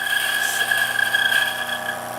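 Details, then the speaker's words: Breville espresso setup grinder grinding beans into dosing cup: steady high motor whine with even gritty hiss through the burrs, no catching or labouring; grinding normally. "now if you see it the coffee is now shooting out of the spout it's grinding and it's going into this cup that's called the dosing cup"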